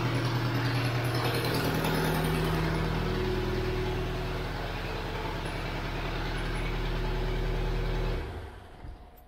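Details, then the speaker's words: 2001 Tracker diesel with power loss, EGR valve and mass airflow sensor unplugged, radiator drained: steady clatter at a slightly fast, louder idle, then shutdown; run to check fuel pressure. "eu vou ligar ela ela tá sem a válvula GR tá pessoal vai fazer um barulhinho maior tá E ela tá um pouco acelerada porque eu tô com ela sensor de massa de ar você Tá tudo desligado"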